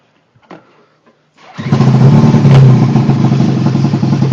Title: Rough idle